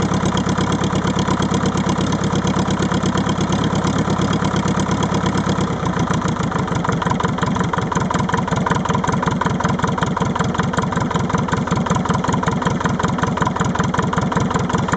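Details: Leyland 154 tractor diesel engine at cold start, uneven lumpy idle as if one cylinder misfiring when first fired up; cause unconfirmed.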